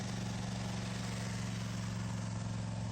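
Low, steady thrumming idle at reduced revs, even and unbroken; small cold engine settling down and running normally.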